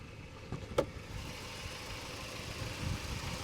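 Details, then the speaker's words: Hyundai or Kia (2011 or older) bought as a cheap car, just started, in neutral: steady, even low idle with no ticks, knocks or exhaust puffing, no exhaust noises at the back; sounds like a solid machine, normal idle. "And it sounds like a solid machine."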